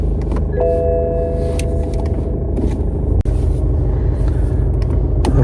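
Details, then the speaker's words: BMW 320 with 240,000 km, automatic gearbox; steady low rumble pulling away in D and R with no clunk or jolt, smooth engagement but slight vibration, pointing to a weak engine mount. "все плавно Що взад Що вперед але мінімально мінімально є вібрація"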